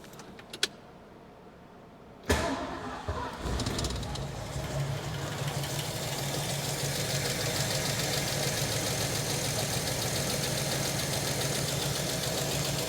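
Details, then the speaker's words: 1967 Ford Mustang 289 after a spacer gasket and PCV valve change: it cranks briefly, catches with a bang, then holds a lumpy, uneven idle. The Autolite carburetor is flooding and pouring gasoline from its vent tubes. "still doesn't seem to be running as smoothly oh shoot okay well our old buddy uh Mr Autolite has struck again and uh it's spewing gasoline out of the vent tubes just pouring"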